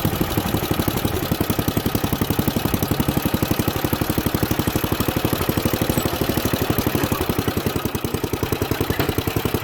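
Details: Junkyard Ditch Witch C99 trencher, old, year unknown, small single-cylinder engine: quick, even firing around four beats a second holds steady as the drive is tested forward and the chain drive takes load; engine pulls cleanly.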